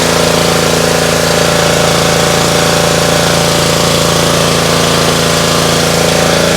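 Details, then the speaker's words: Trash-picked Ryobi RY80940B 3100 psi, 2.5 GPM pressure washer (Jan 2018) with Honda GCV190 engine, after carb cleaning, warmed up: steady even single-cylinder beat, no hunting or surging; runs well, no water or fuel leaks. "seems to work just fine pretty cool I don't see any water leaks either it's all dry it runs pretty well nice"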